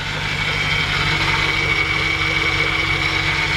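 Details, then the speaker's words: 1954 Ford F100 shortbed, engine idling with the hood open: a steady thin whine at one pitch over a smooth idle; the seller thinks it is probably the power steering pump, possibly the fan, and it may need a power steering flush and fill. "So you hear that little whine in there, and I'm not so sure that that might not be"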